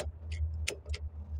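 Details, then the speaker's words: Car with engine idling: crisp clicks of the turn signal flasher ticking normally after fitting a new aftermarket indicator stalk, confirming the stalk works. "Eee sağlam olup olmadığını bir kontrol edeceğim Evet kolu taktım şöyle dizim de tutayım şu ses geliyorsa"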